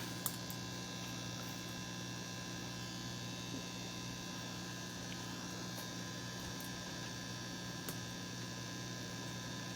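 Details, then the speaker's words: RCA 66X1 valve radio after capacitor replacement, with everything but the mica cap back in circuit and a 455 kHz signal injected: steady low hum with faint hiss, no reception; audio section fixed, fault lies in the radio section. "I don't think we've got any Radio Action this thing just keeps on giving"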